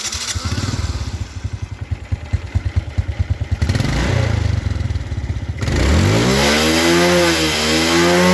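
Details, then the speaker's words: Suzuki Smash carbureted motorcycle with high fuel consumption and blackened spark plug: lumpy idle about three beats a second, dull flat revs, very black smoke at full throttle; running rich, choke or carburetor suspected. "kalau BBM boros itu suaranya itu agak apa ya nggak bisa garing ya teman-teman dan posisi kita gas kenyang itu keluar asap sangat hitam sekali"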